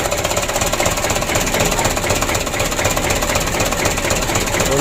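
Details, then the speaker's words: 2007 Mitsubishi Canter 125 diesel on its first start after an engine rebuild for oil burning: rough, shaky idle with a hard knock about four times a second; injection pump timing not yet checked; plan to warm it up, then raise idle slightly. "kalau tidur kita setel kita panas dulu nanti kita naikkan sedikit lega saya supaya tidak goyang"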